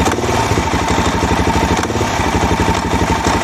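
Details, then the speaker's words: Suzuki DRZ400 with rebuilt top end: rough single-cylinder thump with a nasty dull metallic knock from the bottom of the engine under load; not detonation, but a loose plate behind the stator cover slapping. "i heard a really nasty knocking thunking sound coming from the bottom of the engine it happened under load"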